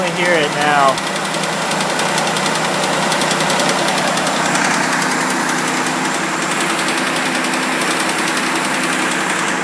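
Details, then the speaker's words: Mitsubishi Eclipse just after cold start, idling in garage: light rapid tick riding over the engine, steady with speed, sometimes goes away; owner suspects lifter tick or hydraulic tensioner, cause unconfirmed. Engine ticking after cold start. "Alright, so just cold started before I heard the noise, pulled in the garage. Here you go. This is what I'm hearing, and then I'll put the camera over on the other side."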